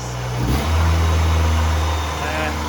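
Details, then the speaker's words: 1977 Ford Pinto Cruising Wagon with 2.3 swapped from a 93 Mustang, started with switch panel and start button; steady fairly fast idle still hanging high, better than before, owner thinks it may need to learn. "still up it's better maybe it has to learn that's actually better bring that idle down"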